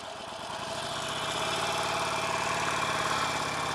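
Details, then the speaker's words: Harley-Davidson Nightster 1200 ridden warm, under fully open throttle: a thin metallic rattle rides over the V-twin rumble and rises with revs. Not heard in regular acceleration, and four dealer visits have not found the cause. "Definitely hearing it there. And keep in mind, this is during open throttle. This isn't just during like regular acceleration."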